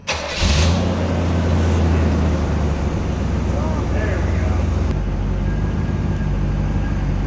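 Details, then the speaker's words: 1984 Monte Carlo SS carbureted small block, sat 22 years, running after vacuum leaks from 40-year-old rotted EGR/smog hoses were found and capped: it cranks, catches and settles into a steady, low, even idle without hunting, now running smoothly. "just been finding vacuum leaks old rotted hoses capping them off we got it running pretty good"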